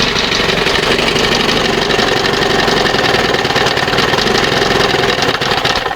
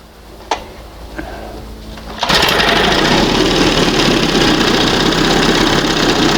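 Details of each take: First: 1971 Johnson 20 hp outboard with wrong high-speed carburettor jet, causing unburned oil and fuel; loud ragged two-stroke buzz, uneven shaky firing, shaking all over; rough running. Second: 1971 Johnson 20 hp outboard after swapping to smaller high-speed jet matching 25 carb and readjusting: a couple of faint clicks, then revs to steady high buzzing with no stumbling or surging; normal high-speed running.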